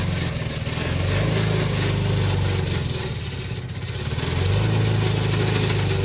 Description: Old toro recycler. Still cuts nice Kentucky Bluegrass. But is making a racket from the drive system.